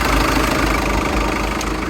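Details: Dodge Avenger engine idling smoothly with an even low hum, no knocks, misses or hiss, after a coolant pipe found by water pressure testing was refitted with a new Jubilee clip and refilled with new red coolant.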